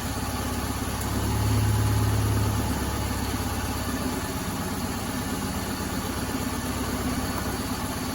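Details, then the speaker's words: 2010 Subaru Forester/Legacy (model uncertain), misfiring even after new spark plugs and wires: steady low idle with a faint uneven stumble. A test-light cylinder drop test shows no spark on one coil. Misfire from a failed ignition coil. "no spark there you go this ignition coil is bad that's it that's how simple it is"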